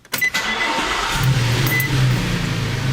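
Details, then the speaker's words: Vehicle cranking slower over recent weeks, radio off, homemade load test: starter drags engine over sluggishly with low laboring churn before starting; slow cranking suspected from weak battery, no multimeter check. "just to me that seems like the cat turns over slow and I guess yeah I work with vehicles every day and that type of thing maybe maybe that's part of it too"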